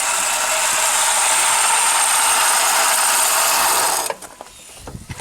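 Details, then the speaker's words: 2009 Subaru Forester with burning smell, smoke from the hood, loss of power and no A/C or fan: harsh, steady grinding rasp from the engine bay at start-up that stops at shutdown; the A/C compressor clutch bearing is completely shot. "Yeah, just start it up. Even here, the bearing in there is completely shot."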